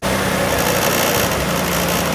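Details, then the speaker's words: Small scooter engine running after earlier no-start cranking with boost current: busy, buzzy two-stroke-like rattle holding a steady speed with no misses. Running normally, though still needing tuning; the fuel petcock was broken. "we got it running guys she's moving around the shop"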